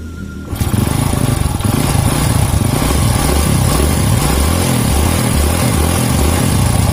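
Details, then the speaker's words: Rebuilt Honda Grand engine (FIM piston, Shogun valve springs, Win 100 camshaft), first start: brisk even idle with light rapid clatter from loose cam chain because oil hasn't reached the tensioner yet; expected to disappear after running. "oke Bisa kedengarannya suara mesinnya ini tetap halus cuma di rantai kamrat nya rada kemrich sedikit karena olinya belum air pada sportnya itu ya olinya belum naik pada Store sehingga rantai kamrat ini masih kendor"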